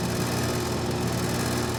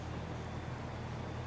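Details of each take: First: Carrier AC condenser on a no-cooling call: steady low compressor hum with constant fan whoosh, no clicking or struggling, mower droning behind; normal running. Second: Carrier air conditioner outdoor unit: compressor gives a steady low hum with no run-up, trying to start but not turning over; contactor pulls in; capacitor suspected, not confirmed.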